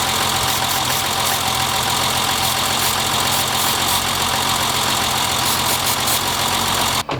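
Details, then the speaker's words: BMW E30: rough, uneven idle misfire, loose irregular stumble about four beats a second under a steady hiss; spraying brake cleaner around intake didn't change idle, ruling out intake leak; issue later found to be a clogged fuel rail. "as you can tell sprayed some brake cleaner around idle quality didn't change at all whatsoever it is misfiring"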